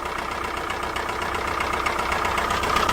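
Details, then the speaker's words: 2005 PT Cruiser towed from another shop after oil sending unit replacement: fast, uneven bottom-end knocking over the idle, growing louder, with heavy blowby and oil leaking near the oil pressure sensor; engine destroyed. "Oh, no. Oh, so it's knocking. Oh, blowby. Well, yep, they destroyed it."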